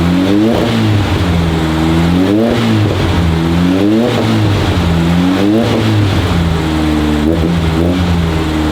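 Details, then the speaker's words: 1968 VW Beetle carburetted air-cooled engine, just started with choke on after priming. Revs rise and sag in uneven swells every couple of seconds. Owner says the carburetor needs tons of adjustment; engine smoking. Rough idle from carburetor out of adjustment. "we won't idle the best right now and as you can tell the carburetor needs tons of adjustments"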